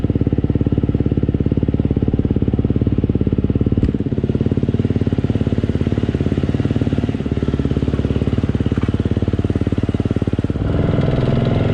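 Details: KTM fuel-injected four-stroke single-cylinder dirt bike, warming up the oil: even idle thump about three and a half beats a second, no knocks or misses; healthy idle.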